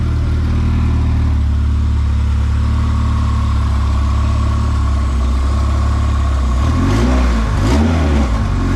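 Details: Honda B20Z engine in a CRX at first start, after TPS calibration: steady even idle, then two quick blips where pitch sweeps up and falls back cleanly; engine runs smooth and responds crisply.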